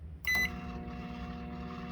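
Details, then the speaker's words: Microwave that had been making noise, as if the turntable plate was coming off: after it was picked up, a short beep then a steady, even hum with no rattle or scraping, running normally. "Maybe it just needed to be picked up. Probably. Jostled whatever it is that was messing up around."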